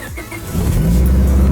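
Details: Honda Civic first start after installing a cheap eBay turbo kit and a Kemso 340 lph fuel pump: brief crank, then the engine catches cleanly within half a second and settles into a steady, even run.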